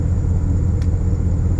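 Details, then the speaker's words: 2006 Porsche Cayenne S (955) 4.5L V8 after EVAP purge valve replacement (P0441); RPMs dropped to steady deep even idle, no surging or pulsing that was present before the repair. "Yep, RPMs drop. Look at that, and no more pulsing."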